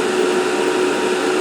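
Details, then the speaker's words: ALC60X argon laser head, about 195 hours, at full power about 10.25 A, 95 mW, heat sink 125°C steady: strong steady air rush with constant motor hum, no surging or bearing noise; cooling fan healthy. "Yeah. Now we're getting, you know, hotish air out of the fan. So, that's good. Want to get that heat out of there."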